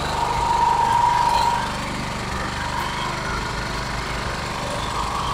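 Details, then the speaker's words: 2.8 kVA Sumec Firman generator that the customer says is noisy and uses a lot of fuel: loud, raspy engine chatter with harsh, rapid puffing at a steady speed, pointing to an exhaust leak that could cause the high consumption. "yeah so you can see the G is very noisy very noisy very very noisy so the noise of the generator could cause the"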